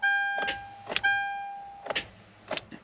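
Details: 2012 Kia Soul no start, battery at 12.24 V: sharp single clicks over a dash chime at each key turn, with no cranking at all.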